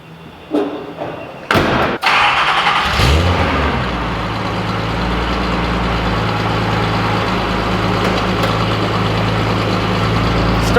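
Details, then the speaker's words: 1978 Datsun 280Z with MSA Performance exhaust, cold start at about 50 degrees inside a warehouse: a short crank catches at once and settles into a smooth, steady idle with a throaty exhaust. A healthy cold start. "this is a cold start on a 1978 datsun 280z with an msa performance exhaust"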